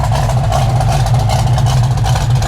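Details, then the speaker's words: Restored 1972 Plymouth Cuda with 51,696 original miles and a numbers-matching 340 V8 with Six Pack, heard from the rear exhaust: deep, lumpy, steady idle rumble with cam lope. Healthy V8. "can just hear that rumble of that cam on that 340."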